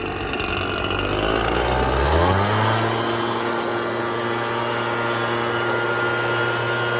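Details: Red Max EBZ7100 two-stroke backpack blower under throttle, rescued from the dump with its missing fuel lines replaced and carburetor repaired. The engine catches and climbs to a steady, even high-speed roar with a clean, constant pitch; running healthy.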